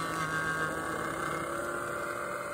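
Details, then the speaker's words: $5 hair dryer run inside a cardboard box with the thermal switch bypassed, about 200° inside and 112° outside the box: steady motor whir with an uneven, rattly edge and faint whine, fan sounding rough and strained from overheating. "Oh yeah, that fan does not sound good at all. 200 degrees. The thing is sounding really, really bad."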